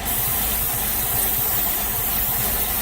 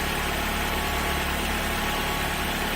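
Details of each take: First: Ford Focus running rough with lean code P0171 and a suspected cracked airbox near the mass airflow sensor. Brake cleaner sprayed there smooths the idle under a faint hiss, and it will run rough again once the cleaner dries: vacuum leak. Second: Ford Focus that ran terribly with lean code P0171, restarted after clearing codes; a broken air box was found as the cause. Steady, even idle with no hunting, misses or surging, sounding smooth; normal idle.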